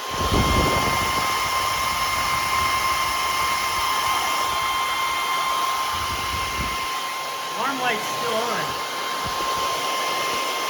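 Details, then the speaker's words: Powerjack 12000 low-frequency inverter under a 6000 W load test, with the transformer area around 100 degrees. The cooling fan runs flat out with a loud, steady whoosh and a thin constant whine, which sounds normal. "here's your 6 000 watts it's doing it there goes the fan you can hear how loud that fan"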